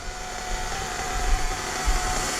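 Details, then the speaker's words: New Hobao Hyper VS2 nitro RC engine during break-in at about 60°F ambient, idle turned back down, engine temperature around 220–222°F. The small high-revving engine holds a steady, even buzz at idle without stumbling or surging. Normal idle. "I'm gonna let it sit there and purr like that."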